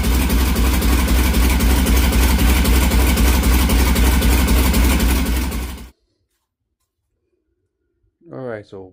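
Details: LS V8-swapped Datsun 521 started after repairs for low oil pressure and an alternator belt coming off the crank pulley. Even, regular pulsing at a steady speed before shutoff, no knocks or misses; later warm oil pressure 30–40 psi: normal running.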